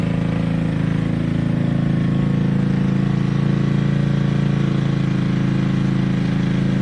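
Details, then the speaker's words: Toro 58-inch professional 3-gang reel riding mower after repair, including unseized blade PTO; steady even low putter, no skips or knocks; started, running, driving and mowing: normal running. "So, there it is. I got it started, running, driving, and mowing."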